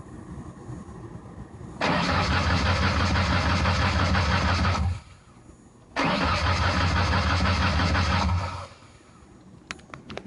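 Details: 1993 Ford Taurus SHO, manual: two steady cranking bursts of about three seconds, starter turning about three beats a second, but it never fires. Fuel pump, filter, sensors, plugs, injectors, ignition module, coil pack and CCRM were all replaced; spark is present and the check engine light goes out while cranking.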